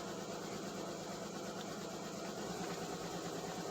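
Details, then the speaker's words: Alfa Romeo 156 with Busso V6 on its first start after 2-3 years with the fuel lines disconnected: a busy, slightly uneven idle with a fast patter as air purges from the fuel system. All six cylinders catch and it runs. "yes it's it catched for all six cylinders and air from the air from the fuel system is out and after few years first starts okay"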